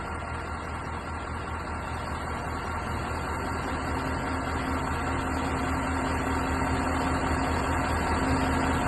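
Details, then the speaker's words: 2019 Kanglim 2056 truck crane after a central collector seal replacement, slewing with a 1-tonne load: a steady, even hum of hydraulic oil flowing through the lines, with no grinding or jerking; normal. "сейчас мы будем поворачивать и смотрю так и но пока все хорошо никаких посторонних звуков не наблюдается установка идет ровно"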